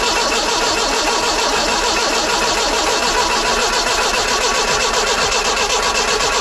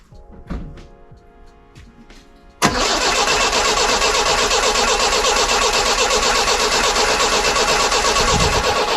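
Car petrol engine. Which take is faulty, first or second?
first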